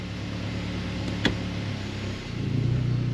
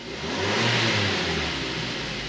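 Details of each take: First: Mazda 3 at idle in drive: low droning buzz, steady and constant, vibrating into the cabin; prying on the top engine mount with the engine running removes almost all vibration, so the worn upper engine mount is at fault. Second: Mazda 3 after replacing motor mounts, top mount found bad: engine revs cleanly with smooth even rise and fall in pitch, no clunks or rattles, vibration through floor, wheel and console gone; normal revving.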